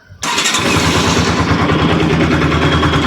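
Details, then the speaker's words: Bajaj Pulsar AS200 BS3 after repair of damaged valve guide, valve, water pump seal, air filter and accelerator cable: engine catches at once and settles into a smooth, steady idle with no ticking or rattle; normal start and idle. "Smooth ആണ് ഇതിനു മുമ്പായിരുന്നെങ്കിൽ ഒരു തിരി സാധനം ഉണ്ടായിരുന്നത് ആ sound വെച്ച് നോക്കുമ്പോൾ നിങ്ങൾക്ക് മനസ്സിലാകും"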